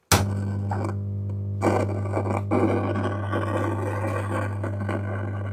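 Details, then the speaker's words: Bluetooth tower speaker on mains supply with line connected: loud, steady low humming only, no other program sound; mains hum through a fault inside the speaker, not yet diagnosed. "जैसे हमने इसमें line दी है। इसमें line आ गया। और इसमें सिर्फ harming कर रहा है। दूसरा कोई भी इसमें साउंड नहीं मिल रही है।"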